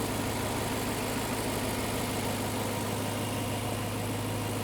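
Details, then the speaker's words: Rebuilt S65 V8 in a 2011 BMW E92 M3 (formerly blown engine; BE rod bearings with extra clearance) idling after 1,000 km of running-in: steady, even, smooth low hum with no ticks, knocks or misses; engine sounds healthy. "It's mint. We got it a bit dirty, but the engine sounds wonderful."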